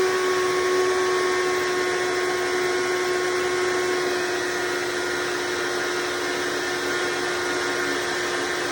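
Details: Hoover Decade Soft & Light Elite vacuum (owned since May 2024), first run after replacing 7-bladed fan impeller with 20-bladed upgrade, bearings greased: steady motor roar with constant mid-pitched whine; runs smoothly, mostly quieter but still a little loud.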